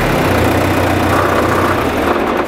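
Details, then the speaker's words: John Deere tractor diesel after new pencil injectors, air filter and fuel system refresh, hood off: steady even idle with smooth low beat, no misses or stumbles, before winding down; running on all four cylinders. "mine runs on all four cylinders it runs smooth it sounds good I am really pleased with how this tune-up went"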